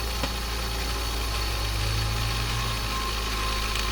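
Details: Blademaster skate sharpener, 1980 E6 induction motor (3.8 A, about 1/3–1/4 hp) with run and start windings; the start winding disconnects once the rotor is up to speed. Steady even hum with low mains-type drone, no knocks: smooth normal running at full speed.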